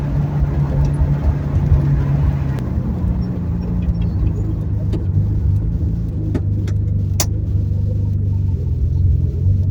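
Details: 1970 Ford Torino turbo inline six with new two-muffler exhaust, driving after gear swap, 9 to 11 lb boost: smooth low steady rumble with no rasp, drone or popping, normal quiet exhaust.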